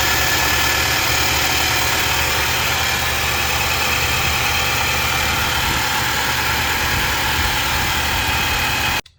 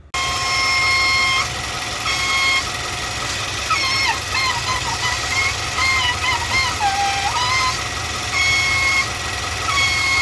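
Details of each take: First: 2019 Nissan NV3500, 5.6L VK56VD V8, after replacing a hose with a new OEM hose: steady, even V8 idle with a smooth hum and no whistle: normal idle. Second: 2019 Nissan NV3500 5.6L V8 VK56VD, about 38,000 miles, at idle: loud steady high whistle wavering slightly in pitch from a collapsed PCV/blow-by hose restricting airflow; vacuum whistle from collapsed PCV hose.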